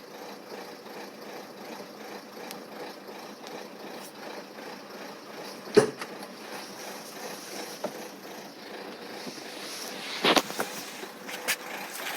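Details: Renault 1.5 dCi K9K 836 diesel idles with a slightly uneven, stumbling beat and a couple of sharp handling clicks: rough idle with no fault code.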